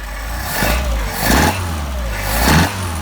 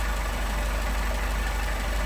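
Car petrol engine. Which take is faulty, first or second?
second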